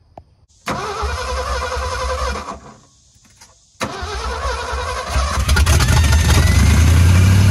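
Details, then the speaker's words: 1966 Ford F-250 Custom Cab sitting about 31 years, first run on its own with fuel bowls filled: engine catches, stumbles, restarts and revs with a rough, uneven note; a weird sound is present, source uncertain. "all right so do you think that sound is coming from where I pointed it out maybe and that is a weird sound that is a weird sound but it runs now"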